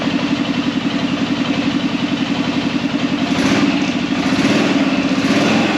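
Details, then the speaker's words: Arctic Cat Prowler engine just rebuilt with new pots (cylinders), first start after priming the carb: steady, even putter with a fast regular firing pulse, picking up a little midway; holds idle cleanly while air in the system needs bleeding. "1,000 gear. Seems to be working good."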